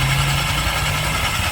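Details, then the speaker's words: Honda Click 125 scooter with a noisy CVT, idling: rough, hissing drone from the transmission over the low engine beat; a dirty belt is slipping on the pulleys, fixed by cleaning the CVT, after which it runs quiet. "So madali lang yan guys. Ang problema yan ang nag-ingay diyan yung belt. Pero bakit nag-ingay yung belt?"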